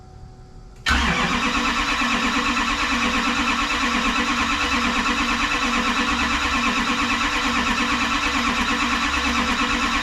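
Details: Rebuilt Duramax diesel in a 2012 dually with a new S&S CP3 pump, first start with dry fuel lines and injectors: after long cranking the engine catches and settles into a steady, even run; it starts and makes oil pressure.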